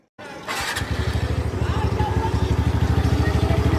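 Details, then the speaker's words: TVS Ntorq 125 scooter, about 15 days old, after first service fixed a click sound on light throttle when cold with auto choke on: fires up to steady, evenly pulsing idle, no clicking; normal idle. "आप देखिए, अभी मैं एक्सीलेटर दूंगा तो आवाज़ नहीं आएगा।"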